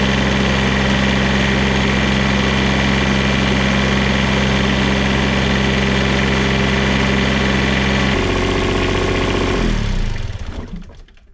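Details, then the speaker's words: Onan QuietDiesel 7500 W generator from 2000 Holiday Rambler Endeavor RV, 2400 hours, test run after full service: steady even diesel drone, constant note, no knocks, then shutdown and spin-down; runs normally. "I'm going to call that a successful test run."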